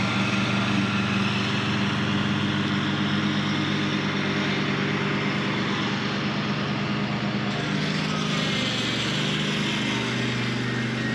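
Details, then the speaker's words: Mower with a worn blade clutch, before repair, cutting tall grass: steady drone that sags in pitch and roughens once the deck is lowered for a deeper cut. Bogging under load; cause suspected, not confirmed. "Cuts perfectly in the top level. Soon as I dropped it down, it slowed down, which again diagnoses a fail cut."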